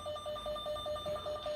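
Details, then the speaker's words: Noyafa cable tracer, receiver probe with sensitivity adjusted by switch: fast mid-pitch warbling beep repeating about six times a second, getting louder as the probe nears the target cable, normal tracer tone. "so that you can hear it when it will be very close to the target cable. Yeah, you can see. Okay, and It's getting closer and yes, it's getting louder."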